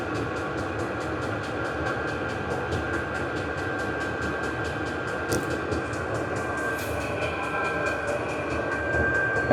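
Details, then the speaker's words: Vevor 8 kW 12 V diesel parking heater at maximum output: steady blower roar with an even fuel-pump tick about four times a second; normal operation at full power. "that's the exhaust muffler going to speed it up a little bit do the maximum"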